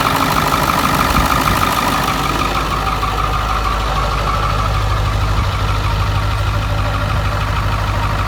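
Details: Ford F-350 7.3 Powerstroke diesel, first start in years, bought non-running and found with no oil, started after fixing the gauge cluster/throttle fuse: deep, steady idle with even low clatter and a faint constant whine, no stumbling.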